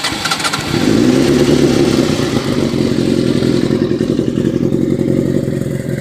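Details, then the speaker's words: Suzuki Katana motorcycle, about 50,000–55,000 miles, shortened aftermarket Scorpion exhaust, K&N oil filter: brief starter whirr, then a clean catch and a steady, even, throaty idle; sounds healthy. "go ahead and start it up let you see what it hit let you hear what it sounds like and let you see it"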